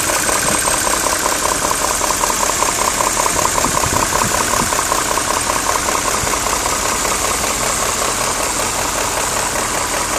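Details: BMW E39 M5 at idle: steady, fast, sharp metallic ticking knock over a smooth idle from the top end; the owner suspects VANOS, cause unconfirmed.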